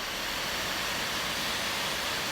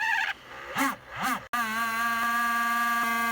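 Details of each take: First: MacBook Pro 15 Late 2013 after spraying WD-40 (LM-40) inside the formerly loud left fan and reassembling: a smooth, even, airy whoosh with no rattle, scrape or ticking; the fan now spins quietly and steadily. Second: MacBook Pro 15 Late 2013, left cooling fan making a steady, loud whirring hum with a constant whine before repair; cleaning didn't help, so the owner sprayed WD-40 (LM-40) inside the fan.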